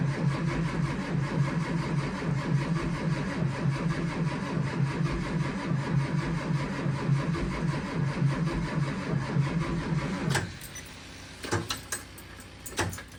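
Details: One of two buses (2011 Thomas C2 with 6.7L Cummins ISB 220HP, or 2004 Blue Bird Vision with 7.2L Caterpillar C7 210HP) at about 23 degrees. Even chugging crank pulses for about ten seconds, no fire, then cuts off: extended cranking, no start.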